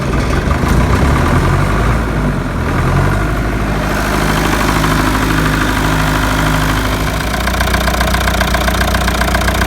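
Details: Leyland diesel tractor idling in neutral after a fuel filter change and bleeding air from the fuel system: steady low diesel clatter ticking over evenly, no misses or hunting; normal idle with fuel supply restored.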